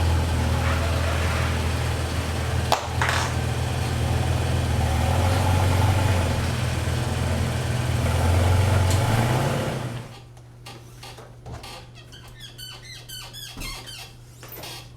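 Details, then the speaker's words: Toyota Tacoma rear suspension with factory leaf springs plus an ICON add-a-leaf and Terraflex Falcon shocks. Deep truck rumble with short high squeaks and chirps as the rear flexes. Owner suspects the leaf springs squeak, not the shocks; a lubricating fix followed. "and then on the rear it is not the shocks i don't believe that it's squeaking it is my leaf springs i've heard from other people that the factory ones do kind of squeak from factory"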